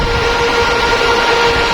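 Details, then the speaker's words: Repaired 5000W outdoor power amplifier after power-supply and output-stage rebuild, first power-up: loud steady air rush with faint high whine from high-speed fan and four power-supply cooling fans, no rattles or scraping; normal. "เสียงพัดลมทำไมมันดังขนาดนี้นะฮะแรงมากนะครับผมมีตรงนั้นที่เป็นHighSpeed"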